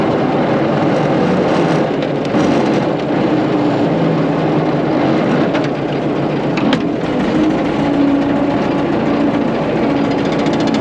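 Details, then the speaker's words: About 100-year-old Caterpillar tractor, after fitting a $55 part, grading a dirt road with the blade preloaded and a little dirt in it. Steady, even drone holding speed under load, no popping or bogging. Normal running under load. "well so far she's not popping it's still pushing pretty good"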